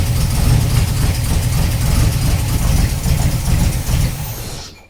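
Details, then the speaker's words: TVR 290 S first start on MS2 with Ford TFI black CCD module, distributor-triggered ignition: lumpy, uneven idle stumbling about three times a second; one cylinder dropping out, running on three. "it does sound like it's missing a bit"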